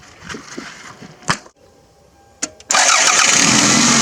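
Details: Old Toyota fixer-upper after a new fuel filter and new air filter: a few light clicks, then the engine catches right away and holds a steady, even run; starts and runs normally.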